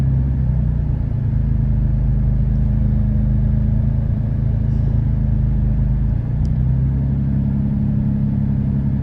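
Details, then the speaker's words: 2013 Dodge Durango V6 with code P0300, misfiring on cylinders 1, 3 and 5 of bank one even after a new coil and spark plug; timing checked OK. Low idle lumping unevenly with irregular dips and stumbles. "there you can see 1 three and five are pretty bad for"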